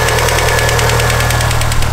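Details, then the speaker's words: Evo engine idling after sitting a while: fast, even clatter of about ten ticks a second that sounds like rod knock but is noisy hydraulic lifters bleeding down; it went quiet once they bled out. "all right evos have the noisiest lifers I've ever"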